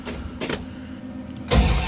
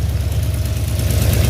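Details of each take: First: 1970 Dodge Charger rebuilt 318 V8 on manual choke, start-up after rebuild: short cranking, catches quickly, settles to steady even idle; normal cold start. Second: 1970 Dodge Charger rebuilt 318 V8 with Flowmaster exhaust, at idle: light quick ticking keeping pace with engine speed over steady rumble; owner suspects slow oil delivery to top end, unconfirmed.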